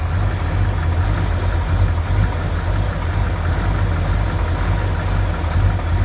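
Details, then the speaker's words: 1972 Chevrolet C20 pickup, original rebuilt V8 that has run poorly for 20 years despite many fixes, last start before removal for an engine swap: deep lumpy, uneven idle rumble with a hard clattery edge; cause unclear. Rough idle. "still doesn't work very well doesn't run worth of crap it should but it doesn't it's just honoring so start it up one more time then she's coming out"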